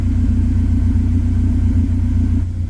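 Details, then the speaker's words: K24-swapped 1987 AE86 warming up at idle after a wiring fix, running best it has; steady, even idle rumble with smooth firing pulses, no misses or knocks; the one remaining code is probably the rear O2. Normal warm-up idle. "it's getting her warmed up a little bit now we'll probably roll it out go for a drive"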